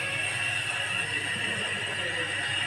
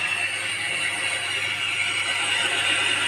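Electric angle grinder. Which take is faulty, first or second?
second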